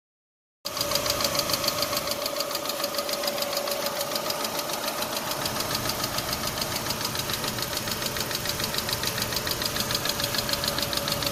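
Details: 2006 Chevy Aveo LS at idle: sharp, regular light ticking three to four times a second over a steady idle; engine tick, source undetermined.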